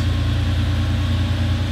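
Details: 1989 Porsche 911 Carrera 964, air-cooled, 31 years old, 37,000 miles, idling after a cold start: smooth, even low idle with a steady hum and no knocks or misses; engine sounds healthy.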